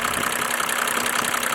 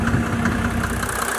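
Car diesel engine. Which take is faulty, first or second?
first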